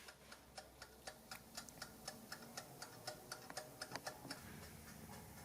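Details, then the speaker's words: Wind-up timer on a Lakhovsky MultiWave Oscillator pulse modulator running down on its own: crisp, even ticks about twice a second over a quiet background; normal ticking, never turn it back to speed it up. "So absolutely, just let this tick down. Do not ever counter rotate it to make it tick down faster. Just let it tick down by itself always."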